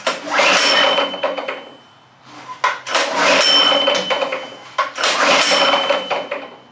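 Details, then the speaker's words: Go-kart engine, loosely mounted after internal work: harsh, ragged cranking surges with no firing beat; sounds terrible, pushrods found off so valves not working. "Well, not exactly, but since we were messing around in the internals here, currently the valves are doing nothing cuz the push rods or whatever these things are called are off."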